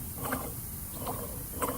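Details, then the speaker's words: Yamaha Waverunner XL1200 two-stroke jet ski crankshaft, run on salt water, bearings hand-spun while soaked in 20–25:1 two-stroke mix; loud, rough, gritty rattling instead of a smooth spin; worn main bearing grinding. "You can hear the bearings, very loud, grindy."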